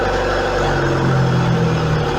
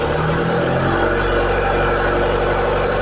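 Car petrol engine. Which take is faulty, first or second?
second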